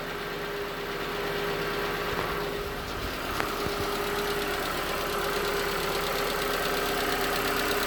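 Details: 2019 Hyundai Tucson 2.0L GDI Nu petrol engine, 24,000 miles, cold idle on Mobil1 5W-20 with under 1,500 miles on the oil: light, fairly regular tapping about four per second; suspected piston slap. Later 5W-30 helped slightly.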